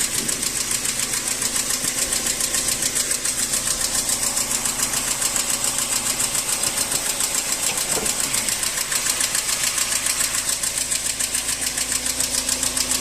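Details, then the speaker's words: Chinese vehicle with Nissan ZNA engine at idle: sharp, even ticking about three and a half per second from cylinders two and three side; valve tick, excessive valve clearance, needs valve adjustment. "Al parecer, el ruido viene por este lado, ¿no? Cilindro dos, cilindro tres y ese es un golpe de válvula, ¿no?"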